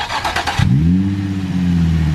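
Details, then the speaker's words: Nissan 350Z engine: a brief crank, then it catches cleanly, flares slightly and settles into a steady, even idle; sounds healthy, only a slight tick that might need a valve adjustment, no rod knock. Normal start and idle. "it sounds healthy huh yes sir it sounds good there's like no ticking like a slight tick it might need like a a valve adjustment but like there's no rod knock or anything like that which is good"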